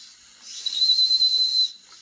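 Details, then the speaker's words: Circa-1946 Watt Victor electric toy steam engine during repair: a high whistling steam hiss with no working chuff as it stalls. The pressure regulator may not be seating, so it won't build pressure, and a part seems too tight and needs ceramic lubricant; cause unconfirmed. "if this pressure regulator is not setting in real well it won't build pressure really wants to run"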